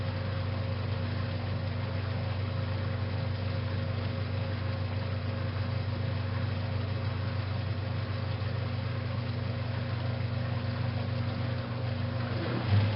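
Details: 1956 Whirlpool Imperial belt-drive washer as the wig-wag shifts into spin after the neutral drain: steady, even low hum with constant pitch and no knocks; a healthy spin.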